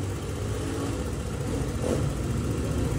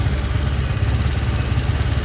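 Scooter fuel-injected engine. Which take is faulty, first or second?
second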